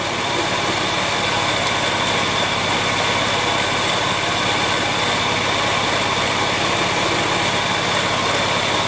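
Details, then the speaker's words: Porsche 911 996 C4S idling: steady hissing whir with faint high tones from the serpentine belt drive; stethoscope traces it to a worn tensioner pulley bearing, repacked with grease as a temporary fix. "so but slightly annoyingly it's actually the uh tensional pulley so I'm going to see how I can get that off and have a look at it"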